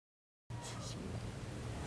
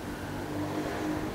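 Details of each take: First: Polytron single-tub washing machine motor hums loudly and steadily the instant it is plugged in, then spins without load; after an earlier capacitor replacement, the fault is suspected to be a failed triac on the potted control module. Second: Polytron single-tub washing machine, previously humming when plugged in, after capacitor replacement, fan belt removed for testing: steady, even spin motor hum with no knocking, buzzing or rubbing; spin motor running normally after repair.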